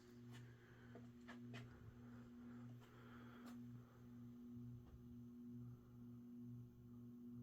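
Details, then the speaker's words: Another 1980s Saff Enterprise Flush Polo 52" hugger ceiling fan, on low speed: the same harmonic sound and typical steady motor hum, with a soft pulsing tone and no scraping or rattle. Normal motor hum. "once again the same harmonic sound and typical motor hum sound that the that these make"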